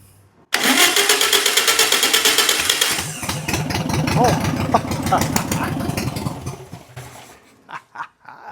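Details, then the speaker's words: 1962 VW Beetle, sat over 20 years in the desert, fuel poured into the carburetor: it fires and runs choppy with sharp popping puffs from holes in the exhaust, then dies. "Hey, it's running. Sounded pretty good, actually. I mean, it's got a couple holes in the exhaust, but it's running, guys."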